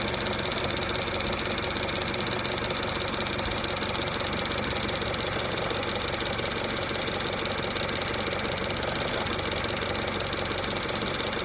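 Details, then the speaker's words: Chevrolet Cruze at idle: light metallic rattle with tinny ring about four a second from the belt tensioner pulley. "See that? Little rattle, little tingle. Chevrolet Cruze tensioner pulley."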